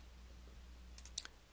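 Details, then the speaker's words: Differential side bearing adjustment: rocking the ring gear gives sharp metallic clicks between the ring gear and drive pinion, showing backlash remains, so the flange-style adjuster must be turned in further. "you rotate the ring gear you'll hear a clicking sound that is made between the ring gear and the dri pinion it's the clunking sound that tells you that you still have backlash that needs to be taken out"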